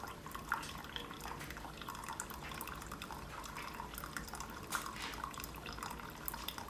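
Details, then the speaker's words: Keurig Supreme, brew finishing and still powered on; soft continuous trickle with scattered drips over faint pump hum; normal flow. "it's looking good still powered on finishing its cycle still powered on and you can see got a cup of steaming hot water"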